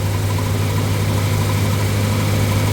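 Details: 1977 Ford F-150 idling during failed voltage regulator troubleshooting; voltmeter reads 14 volts, owner wonders if slightly high: steady, even low idle hum, no knocks, misses or hunting; healthy idle.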